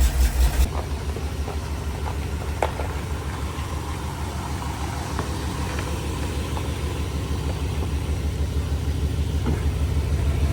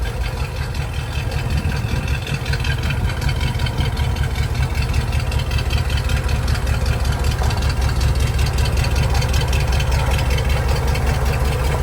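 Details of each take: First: 1985 Jeep CJ7, 304 AMC V8 with HEI ignition, after fixing a poorly crimped 12-volt feed to the HEI: brief loud burst at start, then a steady, even low rumble with no knocks, a healthy idle. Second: 1985 Jeep CJ7 with AMC 304, noise from the front pulley system at idle: coarse gravelly rumble; the water pump bearing is shot, and the pump is being replaced with a better used one.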